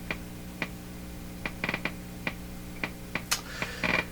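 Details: Emerson 34C tombstone tube radio, volume right down: sharp irregular pops and crackles over a quiet hum. The popping persists with a tube pulled and no audio, implicating the power supply or rectifier tube.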